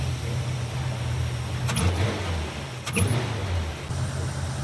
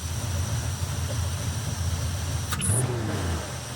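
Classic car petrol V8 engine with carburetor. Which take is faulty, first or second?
first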